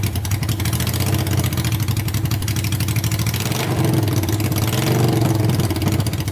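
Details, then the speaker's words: Honda 500cc engine swapped into a tractor, warming up after wiring and fan repairs: loud, steady putter at a fast idle with an even beat and no knocks or misses; running good, no issues or leaks yet. "But it's running good. No issues yet. No leaking at all. So far so good."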